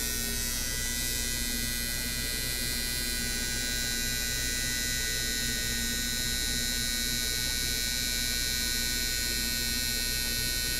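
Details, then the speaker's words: Mr Cartool injector tester on a high-speed test (about 7,500 RPM equivalent): a fast, even buzzing tick of about three pulses a second over a steady hum; injectors sound balanced and healthy. "So they're flowing away here, and we'll just let this run. I'll have to stop it before the end of the test, but I'll let it run up, fill these cylinders up, and we'll see how balanced they are on a high-speed test."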